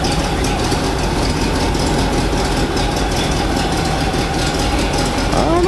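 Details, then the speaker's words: 1987 GMC 7000 with a 366 V8 idling after a new belt was fitted. A smooth, steady idle with an even low exhaust rumble and no ticking, knocking or squeal: normal idle. "Smooth and quiet. Engine actually runs pretty quiet. Exhaust has a little bit of a rumble"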